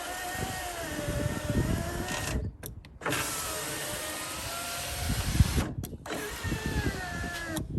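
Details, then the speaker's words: 2002 Suzuki XL7 window regulator replacement, motor test run before the bolts are fully tightened: the window motor hums with a wavering, straining pitch as the regulator binds from misaligned glass in its channel. "bottom line is there is a little bit of play in here right see how the window can move and if we don't get it lined up correctly it's going to start binding up so i'm going to tip it back into this channel like this i think you guys could hear how it was kind of binding"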